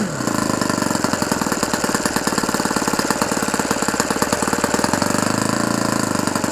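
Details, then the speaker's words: Fully restored OS FS 120 Surpass four-stroke model engine, first run and break-in, around 8730 rpm at good temperature: rapid, even firing with a soft burbling edge. Still slightly rich, deliberately left that way for break-in. "Encore un petit peu trop riche, mais je vais le laisser comme ça pour aller dans les tours pour le moteur."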